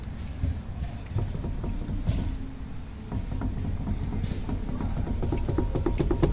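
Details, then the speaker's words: VW Fox, raised rear wheel rocked by hand: irregular dull clunks from big wheel play, heard as resonance inside the car; a loose nut holding the brake drum, fixed by tightening it lightly. "Esse barulho aqui se dá por causa de um parafuso que afrouxou aqui, que segura o tambor, né, do freio."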